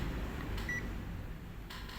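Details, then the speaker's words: Multimeter set to continuity mode, probes touched together before testing SMD capacitors for shorts: one short, clear high-pitched beep over low room hum, showing the meter works normally. "Oke ketika sudah diarahkan BIP maka kita dengar bunyinya artinya k ee avometer kita bagus tidak ada masalah"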